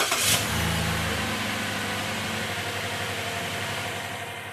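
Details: 2008 Chevy Malibu that sat about a year, after fixing zero compression on cylinder 3 (debris fished out with a magnet, now 180 psi): cranks, catches quickly, settles into a smooth, even idle with no misfire.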